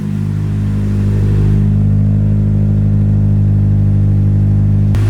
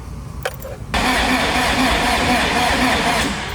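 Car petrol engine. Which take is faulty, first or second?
second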